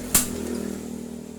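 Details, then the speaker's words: Yamaha Mio injected scooter, hard to start from low compression due to leaky valves, cranked without ignition key after oil poured into the spark plug hole: one sharp pop, then quick even cranking pulses; engine firing on cranking. "Now it's starting to get, Yes, there is a loud explosion , Mas crank it, OK, this has to be a few times, then it's still going on, Mas, OK, I think we have outsmarted the compression section"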